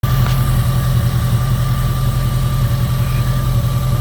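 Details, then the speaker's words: 2002 Jeep Grand Cherokee 4.7 V8 that keeps melting coil 3 with random misfires, just started: even, low idle rumble with faint accessory hum, running smoothly on all eight; only an occasional slight stumble felt at the valve cover. "she's she's currently running she's running on all eight she's nice and smooth when I put my hand on the valve cover I feel an occasional little stumble which is pretty normal"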